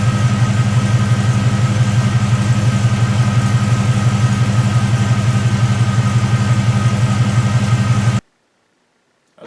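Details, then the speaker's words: 1973 Chevrolet C10 with an LS V8 swap, long-tube headers and no cats, new exhaust: deep, smooth burble for about eight seconds, no crackle or popping; fairly quiet, somewhat Mustang-like, a normal exhaust note. "Exhaust is pretty quiet, a lot quieter than I thought it would have been. I thought this thing was just going to be like ridiculously loud with the long tubes on it no matter what and no cats, so it's pretty quiet. Kind of sounds a little bit like a Mustang, which is odd"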